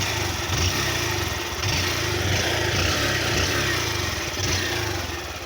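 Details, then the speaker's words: Fan 160cc single-cylinder motorcycle idling, recorded on a phone. A steady, quick putter with a light ticking from the top end. The owner says it is quiet and does not knock. Normal idle. "Eu não bati mano não fala essas coisas absurda entendeu é bem calado"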